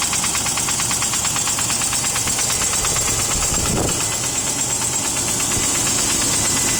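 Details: Range Rover P38 V8 on cold start at idle, noise began hours after an oil change: light quick metallic tick about three per second over the idle hum, later fading as it runs; cause not identified.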